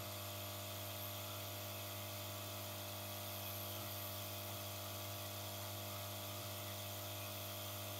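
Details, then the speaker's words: Yihua 968 DA+ III desoldering station air pump running with the case removed: steady low buzzing hum with a few fixed tones and rough hiss; pump vibration makes loose internal parts and cables resonate, later tie-wrapped. "so it's not too bad with the c removed see all these things that just resonate"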